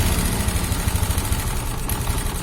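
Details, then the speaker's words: Honda Genio scooter, hard to start and stalling, smoking from the exhaust: a rough, rattling idle with a heavy low thudding knock each revolution. Piston slap from a worn piston and scored cylinder. "nah kedengaran teman-teman Ca dilangsamin suaranya kasar teman-teman"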